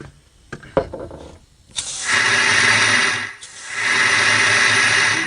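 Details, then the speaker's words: Porsche 911 Turbo 997.2 boost leak test with pressurized air, microphone at one side: loud steady hiss of escaping air, that side much worse; blow-off valve leaking, to be removed and taken apart. "side is a lot worse this side makes a lot of noise so i'm going to take off the blow-off valve so basically the blow-off valve is leaking"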